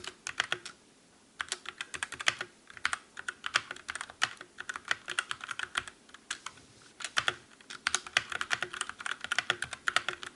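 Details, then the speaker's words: Calibur keyboard with Otemu red linear switches in a typing comparison against the Motospeed CK62: crisp, even clicks in quick bursts with no metallic ring or spring ping. Normal, quiet keyboard typing. "And finally, let's do the comparison test with Dremel Calibur with Otemu red switch."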